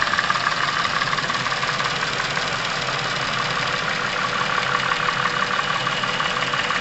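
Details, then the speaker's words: Chevrolet Epica over 200,000 km, warm idle: quick, light top-end ticking clatter that came on suddenly days ago and sometimes fades; cylinder head periodically oil-starved, noisy hydraulic lifters and camshafts, to be treated with a Dimexide engine flush. "стало понятно что головка блока цилиндров периодически находится в состоянии масляного голодания о чем говорили внезапно стучащие гидрокомпенсаторы и шумящие распредвалы"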